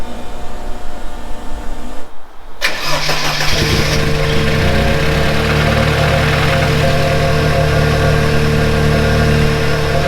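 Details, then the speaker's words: 2.3 turbo petrol engine with a worn rod bearing cranks, catches and settles into a rough idle with a deep rod knock; it had cut out under load after shifting into fifth, owner feared a thrown rod. "we have developed a bit of rod knock so went out for a bit of a cruise the other day nice easy cruise but then when I finally leaned on it on the last little stretch back home when it changed into Fifth and it just completely cut out"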